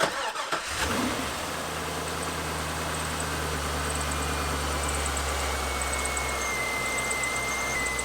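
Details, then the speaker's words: Neglected 180,000-mile C5 Corvette Z06 LS V8, cold start settling to idle: thin high chirping from the belt drive caused by a visibly failed harmonic balancer; replacement high priority, could damage the front timing cover. "that chirping noise and the ls's propensity to eat harmonic balancers we've got to take a look um you tell me that's obvious that harmonic balancer is shot"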